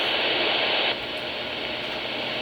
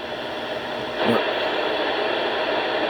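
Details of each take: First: Radio on the high channels after unplugging the high-speed internet modem's power supply: the hiss drops clearly about a second in and settles to a low, steady background, the receiver's usual quiet noise floor. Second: 27 MHz CB radio receiving local HF channels: loud static swamps the receiver, with a sharp pulse burst near the start when a nearby modem/router box's power supply is plugged in. That supply is identified as the interference source.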